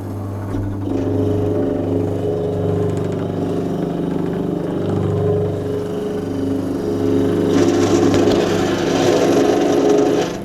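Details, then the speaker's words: Vintage Hotpoint Empress tub washing machine, owner guesses nearly 60 years old, washer pump switched on during testing: steady low motor hum with even pump whir, no knocking or grinding; pump running normally. "sounds good now if that's working what I'm going to do is try the heater"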